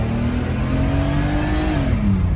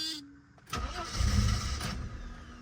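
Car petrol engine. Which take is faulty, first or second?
second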